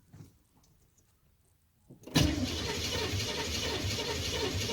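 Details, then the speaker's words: Camaro engine cranking after setting ignition timing: near silence, then a sudden loud whoomp and rushing roar as it backfires fireballs out the carb; later traced to the harmonic balancer coming apart. "That at least explains why it was blowing fireballs out the carb when it was supposed to be blowing fireballs out the exhaust."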